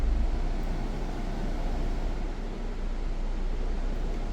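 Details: Jeep Grand Cherokee with noise inside when A/C switched on: smooth even low hum, no rattle or squeal; normal after refrigerant recharge, suspected cause low gas.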